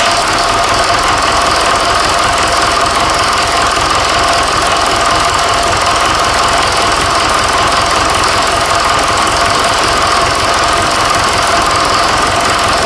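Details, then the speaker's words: Fordson Super Major diesel tractor with a replacement engine swapped in after the original seized: even, steady clatter at constant tone, no misses or heavy knocks; runs really well. "um so yeah got the other engine in run that runs really well i mean there's no two ways about that"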